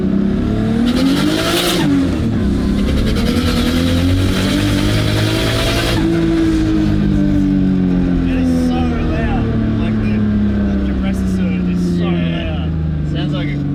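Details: AU Falcon with swapped RB20 turbo engine on E85, unfinished dyno tune, manifold and turbo setup in doubt: revs hard and rough with rising-falling tones and fluttering chatter under boost; suspected compressor surge, turbo making more boost than the motor can take in.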